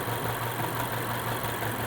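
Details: Car with a pending cylinder 4 misfire code that suddenly stumbled and could not exceed 35 mph uphill: low, uneven idle with a faint stumble in the beat. Rough idle from a dead cylinder, suspected failed ignition coil.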